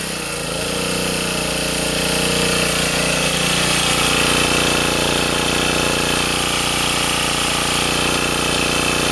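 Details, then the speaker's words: Sportsman 2000 W generator under 750–1500 W space heater load after adding a governor damping spring: even, steady speed with no hunting or surging; governor settled, no more cycling. "I can I can put it up I can put this heater up to I don't know what's low 750 WTS 1500 WTS and I don't get that cycling anymore"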